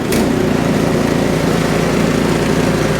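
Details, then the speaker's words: Ariens Deluxe 24 snowblower after replacing the auger and drive belts, running with the belt cover off and augers engaged; a smooth, steady engine drone with no belt slip, squeal or flapping. Normal running. "Those babies are flying. Augers are spinning good. Belts are spinning perfectly."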